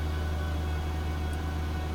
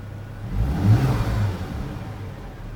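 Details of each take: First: Volvo V70 six-cylinder petrol idling rough after restart following a coolant pipe leak, with steam from the exhaust; deep hum and uneven low throb, vibration felt through the wheel, cylinders not firing properly. Possible cylinder misfire suspected, not confirmed. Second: Volvo V70 after coolant loss and overheating, refilled and run up to temperature, camera resting on the steering wheel: two clean throttle blips rise and fall smoothly, with less vibration than before and a smooth idle between; normal revving.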